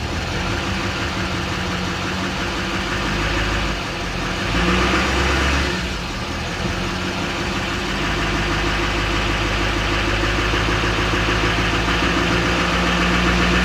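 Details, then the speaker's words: Salvage four-wheel-drive turbo truck with stock exhaust and front-end damage at a Copart yard, no check lights: engine revs up and settles smoothly, faint turbo whistle climbing with revs; normal revving with turbo spool. "yeah it's got a regular exhaust on it too you can hear that turbo spool up though so"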